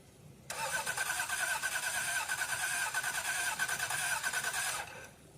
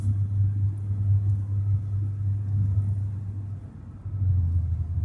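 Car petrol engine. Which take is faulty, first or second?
first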